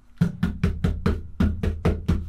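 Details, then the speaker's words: Campervan side panel knocked nine times after fitting PeaceMAT sound deadening sheets: dull knocks that die out fast with no metallic ring, panel drumming eliminated. "I mean there's no metal noise there at all now you know it's done an absolutely brilliant job so we won't get any road noise from the wheels"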